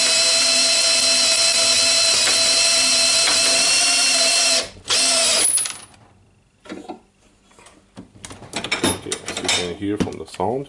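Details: Makita DDF481 cordless drill that shows heavy use, run before its faulty chuck is replaced. A steady, even high whine from the motor and gears for about five seconds, with no grinding or rattling; the gearbox sounds healthy.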